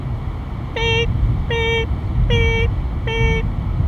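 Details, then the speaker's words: Travel-trailer tire pressure monitor (non-pass-through sensors) at 55-60 mph: four evenly spaced shrill beeps over road rumble warning of rapid air loss; a rubber valve stem on a Goodyear Endurance tire failed, not the tire. "all about the sound that you don't want to hear really you do want to hear it because what that is is um it's letting you know it's doing its job in letting you know that something has failed"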